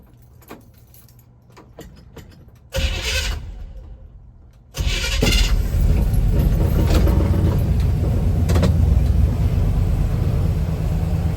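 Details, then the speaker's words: Classic Chevrolet C10 truck roadside fix after fuel pump failure, wiring cleaned: clicks, short crank, then steady strong idle; starts normally, holding fuel pressure, no leak. "It's running. Let me see. It's holding pressure. No fuel leak."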